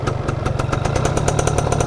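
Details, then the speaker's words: Restored 1999 Yamaha F1ZR two-stroke with standard unmodified exhaust and stock oil-pump setting, thin smoke: a crisp, even idle with steady rapid exhaust pops and a smooth, unbroken rhythm. Healthy. "Jadi suaranya seperti itu ya, masih halus."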